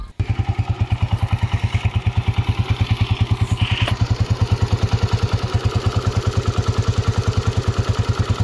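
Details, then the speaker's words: Honda CG125 single-cylinder at idle, before upgrades: steady idle with a regular light tapping clatter on every firing pulse, about three a second; loose tappets needing adjustment, heavy use cited. "एक आवाज आ रही है गौर से सुनना और टपे की आवाज आ रही है कटक टक टक"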